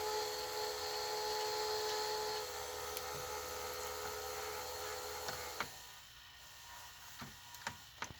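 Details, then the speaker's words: 1985 Hitachi VT-63 VCR: thin steady high squeal for a couple of seconds then cuts out, with handling clicks; silent in fast forward and rewind, squeals in play, suspected bearing near the capstan motor under load. "so maybe i'm wrong about where the bearing is that's squealing"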